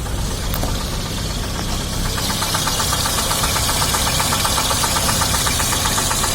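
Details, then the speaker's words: 2006 Daewoo Sens (Lanos base model) bought a year ago, dual-fuel, switched to gas (LPG), hood open at idle: sharp even tapping about four per second keeping time with engine; cause unknown, some say bushing, others crankshaft, owner suspects head or valves. "Ось там щось стучить, бачите? Одні кажуть втулка, другі кажуть коленвал."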